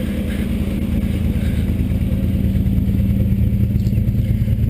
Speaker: the engine runs nice and quiet no smoke no valve tick noises really a very nice smooth running motor